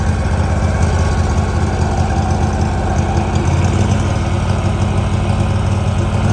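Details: 2018 Hustler Raptor SD 54-inch mower, Kawasaki FR691V V-twin, first start after head gasket and valve seal replacement, shroud off. Steady even low idle thrum, smooth twin beat, no knocks or misses; spilled oil smoking off, running better. Normal idle.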